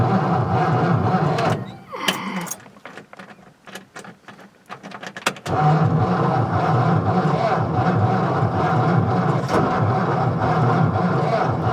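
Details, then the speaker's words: 1955 Ford Fairlane Victoria, off the road since 1992, with a newly fitted fuel pump and fresh fuel added: the starter churns about four beats a second with a few sputters, but the engine never catches and runs. "all right she seems like she's trying I put some more fuel in there hopefully this new pump I put in is working okay"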